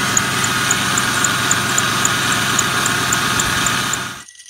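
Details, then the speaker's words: Ford Mustang engine running: steady dry rushing with a light tick about four times a second from an accessory pulley whose bearing, though spinning, is completely dry with no grease. "nope this is completely dry the bearings in here have no grease"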